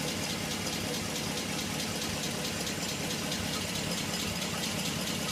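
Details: G8 V8 at idle after the dealer installed new lifters: quick, sharp ticking in time with a smooth idle persists; lifter tick.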